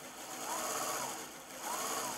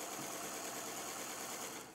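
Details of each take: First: EEW5 spinning wheel: small motor hum with a high whine and a soft squeak about once a second from a seam inside the flyer rubbing, remaining after smoothing other rubbing spots; no good way to remove it. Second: Electric Eel Wheel 5 spinning wheel: steady, even high-pitched whir with no clicks; not yet fully worn in, normal running noise that quiets with use.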